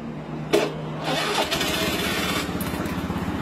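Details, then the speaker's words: Honda Beat FI scooter with a click-no-crank complaint, repeat test with the starter jumped directly: brief starter whirr, then the engine catches into a steady idle with no grinding or slipping; starter motor and bendix are fine. "Tidak ada kendala di bagian dinamo starter, bagus ya. Bendik tidak ada kendala teman-teman ya."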